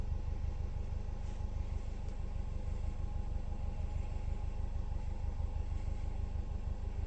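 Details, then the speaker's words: Subaru Forester with modified exhaust, heard inside at idle: dull, regular knock of about three beats a second; check engine light on and knock sensor code read via OBD2; engine knock, cause unknown. "You hear that knocking on the motor at idle."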